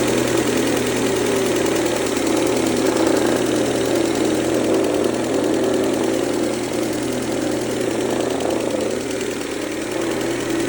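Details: 2003 Mercedes-Benz A140 (W168), 196,000 km, sudden engine noise: steady idle with fast rattly tapping about three or four a second from the front of the engine; owner suspects timing chain or chain tensioner, unconfirmed.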